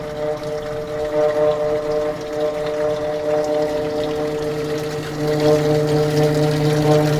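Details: Evaporative (swamp) cooler running very loud with vibration, a steady droning hum and low throb swelling toward the end; noise may start after startup or be constant, unlike a failing bearing; cause unknown.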